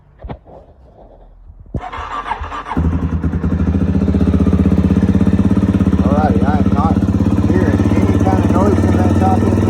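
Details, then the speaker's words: Kawasaki KLX400 single-cylinder, which clanked in the top end after a valve clearance adjustment, fitted with a manual cam chain tensioner: fires up and settles into an even thumping idle with no top-end clatter. "sounds very normal to me"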